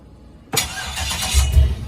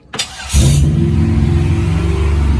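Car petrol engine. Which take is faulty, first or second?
first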